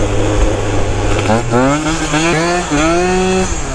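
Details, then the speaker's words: Malaguti Phantom F12 scooter, two-stroke with 70cc kit, Yasuni pipe, new 21 mm carb, Malossi clutch and shock, ridden on road: crisp revs rise and fall cleanly with an even sharp chop; engine pulling healthily. "listen to that Chop on it this thing's happy boys"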